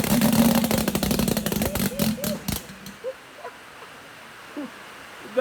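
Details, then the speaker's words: Mazda 13B rotary engine for a Thai longtail riverboat, on its first start attempt: fast, uneven cranking chatter for about three seconds that never catches, then dies away; turns over but won't fire, cause unconfirmed. "close baby it turned over that's all that matters"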